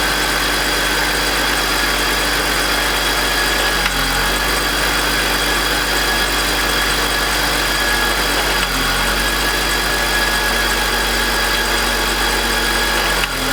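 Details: BMW E46 M52TU B25 at idle, VANOS connected: rough idle with gritty metallic grind and small rpm dips every few seconds, louder at startup; noise disappears with VANOS disconnected, VANOS suspected.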